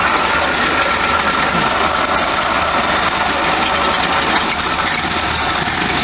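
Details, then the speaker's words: 1973 VW Super Beetle air-cooled engine at idle in neutral shortly after a cold start, after carburetor and spark plug work: smooth constant idle, no ticking, popping or surging, noticeable vibration while cold; normal idle. "A lot of vibration. It's kind of cold right now. It's not quite as bad once it warms up."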